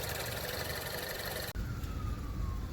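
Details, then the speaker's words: 2014 Range Rover Evoque Dynamic turbo idling with a couple of light revs right after replacing the failing exhaust manifold with a new cast-iron one and new gaskets, before warm-up: smooth, even hum, faint whistle, no binding or exhaust leaks. "so I'm letting the car idle give it a couple little revs I don't hear any binding I hear no exhaust leaks"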